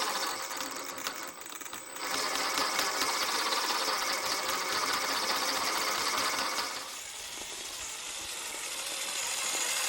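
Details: Axial SCX10 III RC crawler after fixing a transmission clicking noise: smooth, steady high-pitched gear whir with no clicking or catching in driving mode. Transmission running normally after repair.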